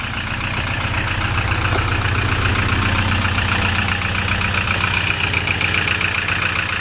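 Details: Diesel heard from about 20 metres away at steady idle: constant rapid crackling knock, about four per second; cause unknown.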